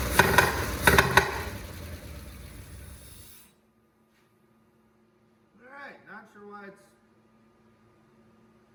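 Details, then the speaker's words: 1979 Cadillac Eldorado with Oldsmobile 350, carbureted, first runs after 14 years sitting: several sharp pops in quick bursts over a rough, uneven run, then it stalls; popping back through the carburetor. "popping through the carb. But, she definitely runs."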